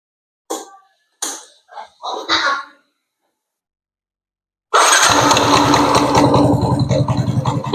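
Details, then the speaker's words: Yamaha NMAX after injector cleaning, which fixed stuttering from low to mid rpm, weak full-throttle power and dying when revved; starts promptly and settles into a steady, even, normal idle, as before the fault. "Ini untuk hidupnya langsamnya juga normal ya sama seperti awal"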